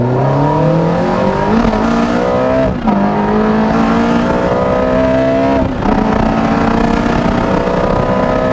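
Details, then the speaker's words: Ferrari F430 V8 after misfire fixed by replacing factory platinum spark plugs with iridium plugs, top-down driving after 30 minutes cruising: smooth, even pull with rising pitch through gears, no stumble or skipped beats; normal running. "all right i can tell you from firsthand experience that sounds very good music to my ears well i've been cruising the f430 for around 30 minutes now it hasn't skipped the beat"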